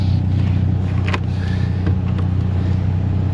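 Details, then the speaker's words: BMW 528i cabin blower with a customer noise complaint: a steady low drone under a faint, rough, pulsing grumble; cause unconfirmed, possibly debris in the fan or a failing blower motor. "I'm probably going to need to get to the cabin filter and look at that and it may be something in the fan but blower fan and like leaves or sticks or napkins could also just be the blower motor going bad itself"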